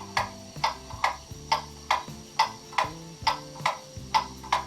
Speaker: you can hear it's out of beat now it's an uneven tick and top